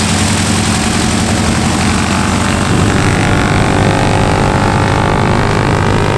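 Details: T-6 WWII trainer radial engine, last started 3 weeks ago, just after start-up: loud, deep, steady radial beat with an even firing rhythm and no misses or knocks; running normally.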